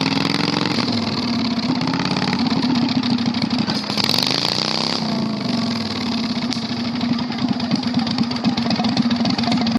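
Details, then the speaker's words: 670cc V-twin Predator go-kart engine revived after sitting for months; harsh, raw, crackling exhaust bark rising and falling with throttle, far louder than normal, running with no muffler fitted. "I don't want to ride it anymore. It's way too loud. Like, we are going to get, like, I'd be surprised if the cops have not been called already. It is so loud."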